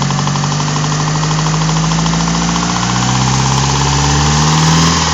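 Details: Mitsubishi Evo 4 4G63 engine warm at idle, accessory belt off: steady loud knock about four times a second, louder from the top end; crank walk, rod bearings and timing all checked good, cause unknown.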